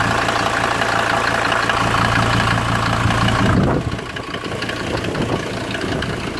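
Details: 1991 Ford Explorer turbo diesel cold start after sitting since July 2016, fuel primed and battery charged, in strong wind: settles into an even steady idle clatter, no misses or knocks; normal, though injector return lines later leak diesel.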